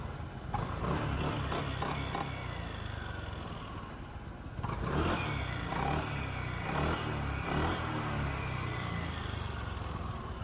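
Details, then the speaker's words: Honda PCX160 at 27,000 km, given a CVT noise repair and a genuine belt after clunking from the side case at idle and on throttle: under light throttle blips the engine swells smoothly, with no belt slap or knocking. The CVT is normal. "เนี่ยปกติมันจะมีเสียงดังกๆๆๆๆอย่างเงี้ยเสียงสายพานตีเสียงอะไรไม่รู้อ่ะเสียงแบบมันไม่แบบเสียงแปลกๆไม่มีนะครับ"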